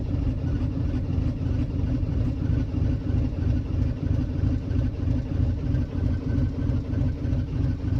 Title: citroen jumper 2008 hard starting when cold